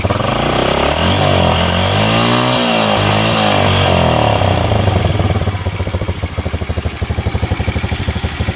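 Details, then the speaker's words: Honda Revo Absolute motorcycle after engine rebuild: climbs and falls smoothly then settles to an even, steady idle beat, engine stays smooth; normal revving. "Oke Guys meskipun mesinnya kita geber-geber dengan e RPM tinggi namun mesinnya tetap halus e suaranya berarti kalau mesin ini telah Oke telah mantap"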